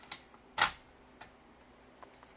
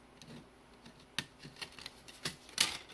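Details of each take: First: AppleCD 150 external CD-ROM that would not read discs, after its leaky capacitors were replaced: a few sharp clicks as the disc seats, then a faint high whir as it spins up. It reads the disc normally. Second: AppleCD 150 external SCSI CD-ROM after replacing leaky capacitors, reading a CD-R: quiet drive with irregular sharp ticks and clicks as the head hunts over a badly scratched area; servo seeking on a scratched disc.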